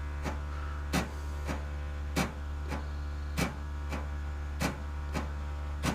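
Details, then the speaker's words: Chevrolet Camaro ZL1 ABS auto-bleed with Foxwell NT630 Plus scan tool: steady low pump hum with sharp clacks about once a second as the ABS module shuttle oscillates to purge air; modulator cycling normally. "you can hear that shuttle move in the abs control module and there we go"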